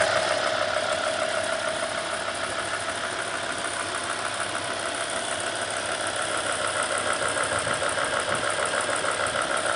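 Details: BMW E60 M5 at idle: fast light tick, about three per second, from the VANOS area under the front plastic covers, louder on passenger bank, beyond usual injector tick; cause unknown.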